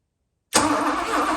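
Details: 1982 Mercedes 380SL after electrical repairs, ignition connectors tightened, key in run, cranked with manual button: silence, then the engine catches at once and settles into an even idle without stumbling; a clean, healthy start.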